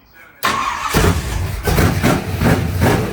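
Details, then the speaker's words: Race car: brief crank, then it catches fast and settles into strong, rhythmic, loud pulses. Won't idle because of its open motor. Healthy start that runs very well. "I can't believe how well that thing runs. It won't idle cuz you know open motor life."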